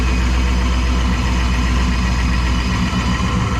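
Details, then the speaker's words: Jeep Trackhawk-killer build, supercharged, with tube headers, high-flow cats and catback exhaust, just started cold in the shop. Steady idle with a thin high whine over the engine rumble: normal supercharger whine at idle. "Then up here you got that supercharger whine going on here. You can hear that really well."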